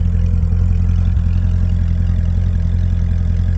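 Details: 2006 C6 Corvette Z06, stock, 84,000 miles; deep, even idle with steady lope about three pulses a second, no knocks or misses; engine healthy.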